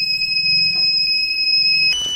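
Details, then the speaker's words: Microtek EB 1100 inverter on 12–12.5 V supply after board cleaning, drying and refitting LEDs and tested transformer: only a steady high-pitched beep, LEDs don't glow, won't power up; cause not yet found. "ना ही कोई beep आ रही है, ना ही मतलब इसमें only beep आ रही है, LED कोई ग्लो नहीं कर रही।"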